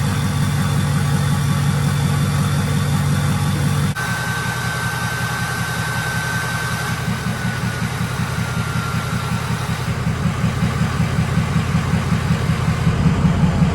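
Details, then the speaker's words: Ford 6.0 Powerstroke diesel truck idling after fresh KC Stage 2 10-blade VGT turbo install. High whistle slides gently lower over several seconds as deep tone returns; normal turbo vane relearn whistle at idle. "what you guys are going to hear when it's going through the relearn process is you'll hear the veins close they hear that high-pitched whistle and then you'll slowly hear them start to open up and you'll get that deep tone"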